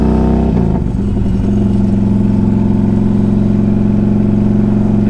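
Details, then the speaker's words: 2003 Harley-Davidson Electra Glide Ultra 100th anniversary, 12,623 miles, at idle: loping V-twin with a thin, tinny buzz on each beat. The front exhaust cover is missing its clamp and vibrates against the exhaust; heat shield rattle. "don't know if you can hear that that noise it's like a it's like a tinny sounding vibration the uh the front piece of the exhaust cover is missing a uh the clamp so it kind of vibrates against the exhaust"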